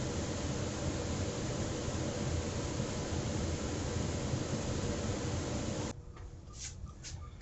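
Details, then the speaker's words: Trane XR80 gas furnace just after the blower motor was replaced, test run before reassembly: a smooth, steady fan rush for about six seconds with no scraping, ticking or hum, then it stops; the new blower sounds fine. "we swapped the motor we want to listen to see if we hear anything wrong with it it sounds fine I'm going to let it run for a minute or"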